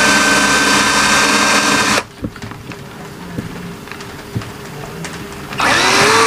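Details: McCulloch Classic 12V cordless drill after a battery repair (2000mAh cells, universal 12V BMS added), speed test (rated 285–850 rpm): a smooth, even motor whir, a pause, then a clean spin-up. Runs normally.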